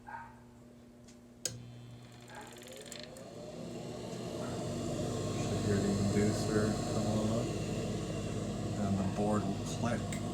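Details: Coleman Evcon furnace in a mobile home, after the igniter is replaced: a faint click, then a low steady hum swells over a few seconds as the inducer draft fan spins up smoothly and evenly. Normal inducer motor startup.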